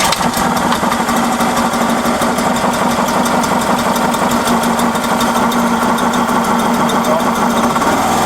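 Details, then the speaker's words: Small engine unit newly mounted inside a converted 2002 Iveco Daily camper with its exhaust routed out the back, heard inside with the door closed: a steady, even drone with fine patter and no misses, quite loud but bearable; normal running. "Actually not that bad in here. Close this door. I mean, that's bearable, isn't it?"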